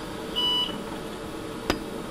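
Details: IBM/AMD 386SX 25MHz PC with 8MB RAM and IBM 171MB IDE hard drive: single short high beep over quiet room hum, then a click, faint hard drive activity; normal power-on boot beep.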